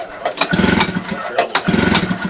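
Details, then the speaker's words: Vintage Yamaha Enticer snowmobile two-stroke: surging unevenly with sharp raspy puffing bursts each pulse; small exhaust leak up front. "Got an exhaust leak up front."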